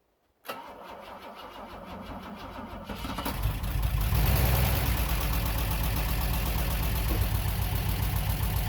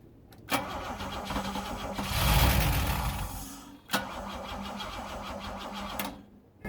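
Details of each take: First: Bitter SC 356 after no-start diagnosis, fuel pressure reaching three bar but building slowly, fault found as loose connector tabs squeezed tight: cranks a few seconds, catches, revs up, settles to smooth steady idle. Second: Bitter SC 356 no-start, possibly weak battery, spark confirmed by timing light: on starting spray the engine catches and revs briefly then dies, confirming fuel isn't being delivered.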